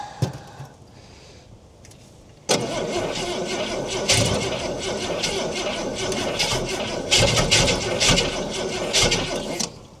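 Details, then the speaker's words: About 1968 Ford Falcon six-cylinder petrol with Stromberg carburetor, parked since 1990, first firing cold on fuel fed by syringe; catches abruptly then runs lumpy with irregular stumbles, seems to want more choke, choke makes little difference. "I think she likes the choke more being so cold. Is she not with the choke off? It's not doing much."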